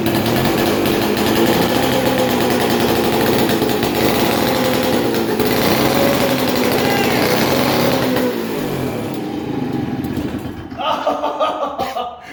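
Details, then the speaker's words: 1947 six-foot two-stroke chainsaw unrun 40+ years; raspy ragged run for several seconds, then sags and dies; fouled spark plug sparking onto insulator under compression kept it from staying running; new plug fitted. "so the reason why it wasn't going to stay running is because the spark plug was it was fouled and so it might have spark not under pressure but under pressure it doesn't allow the spark to spark between the um the electrode and the tip"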